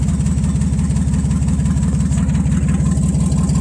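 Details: Nissan Z31 whose injector firing groups were rewired to pre-recall wiring to verify the wiring and try to cure a misfire. Loud low idle with an uneven, lumpy pulse about twice a second over the steady firing. Cylinder misfire.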